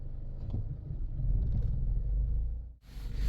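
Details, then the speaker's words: Toyota Aisin MMT robotized manual gearbox test drive after repair of knocking/crunching 3rd and 4th gears: synchronizer replaced plus washers fitted under gears; steady engine drone, brief dip at each shift, no crunch, 3rd and 4th now silent, clean shifting. "Ну что тест-драйв я вам скажу коробка бомба третья четвёртая вообще не слышно просто вообще не слышно He тишина реально всё круто всё удалось"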